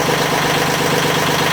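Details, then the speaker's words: Almost 40-year-old Yanmar 3GM30 marine diesel in a 1986 Contrast 36 sailboat, first run after head-off rebuild (valves lapped, injectors cleaned, new gaskets), held at high revs to purge air after bleeding; steady even drone, no knocks or hunting; normal running. "I'm kind of running it at high revs just to get all the air through. I've been running it for a little bit now, so it should be okay."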